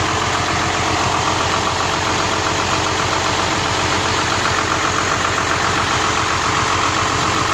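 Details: Hino truck AC loses cooling after long driving: steady idle with harsh, rhythmic churning from the compressor, about two beats a second; the compressor had no oil, causing overheating, a stuck clutch and belt noise, and oil was added.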